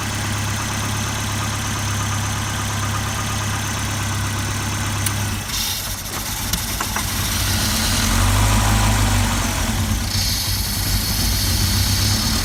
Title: Volvo rough idle